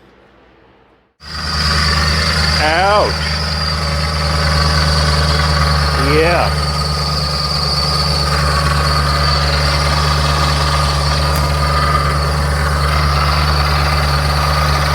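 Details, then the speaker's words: BMW E70 X5 4.8 V8 petrol at idle, hood open, no warning lights: loud, rough, diesel-like clatter with a steady high whine; owner suspects the water pump after checking with a stethoscope, not confirmed. "that doesn't sound very good i think that's my water pump there's no lights on no warning lights none of that stuff so i'm pretty sure it's the water pump"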